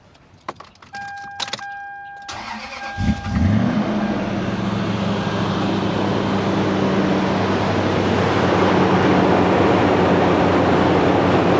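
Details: First-gen Toyota Sequoia V8 started after replacing serpentine belt, tensioner and idler pulley (Gates 90 mm tensioner wobbled, swapped for 102 mm Murray); quick crank, clean catch, smooth even idle with no squeal, chirp or rattle from belt drive; normal idle.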